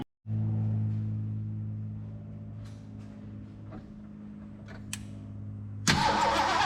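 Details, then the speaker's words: Long-parked old carbureted engine, points now sparking better, fed a squirt of gas down the carb and bowl: fires and runs rough with a light ticking over the idle, then cuts out; owner hopes it's a belt, not a main bearing, maybe old gas. "I hope that's not a main bearing hope that's a belt it's probably pumping some of that old gas down in there too"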